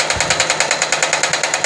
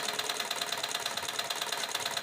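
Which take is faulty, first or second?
first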